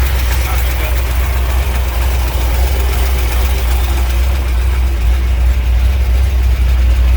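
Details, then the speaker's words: 1967 Ford F100 shortbed 429 big-block V8 revived with a used junk carburetor: deep, steady low rumble holding an even idle with no misses or knocks, idling cleanly right off the bat. "hey we did it again uh junkie carburetor came to the Rescue It idled right off the bat"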